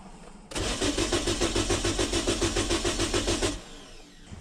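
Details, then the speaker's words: Car that starts only sometimes, cranked using a jump starter on a roadside call-out; the fuel pump is heard running. Starter turns the engine briskly for about three seconds in even compression pulses and never fires. "I left the camera on by accident, but we hooked the jump starter up to it and it didn't start. And so I'm like, man, that's weird."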